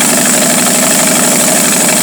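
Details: 1949 Studebaker 2R5 truck, Commander 6 engine, won't stay running unless the carburetor is fully choked: loud, busy idle with a faint hiss on top and an uneven beat underneath; rough idle from a vacuum leak.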